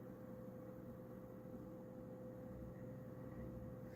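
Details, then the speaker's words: Prosys S478 socket 478 PC found in a hallway, running in a cold space: quiet, steady fan hum with constant low drone; a suspected rattle is gone, no ticking, and it sounds normal. "I thought something was rattling on the computer. There we go. That's more like what it sounds like, and the LEDs are working nicely."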